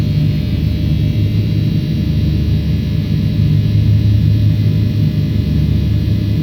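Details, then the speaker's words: 900 kW mill synchronous motor at a plant, first start from a frequency converter; deep steady hum with smooth, even low rumble, no knocks or surges; excitation and stator current present, running normally. "Так, ну у меня поехал. Двигатель поехал? Да, возбуждение есть, ток статора есть."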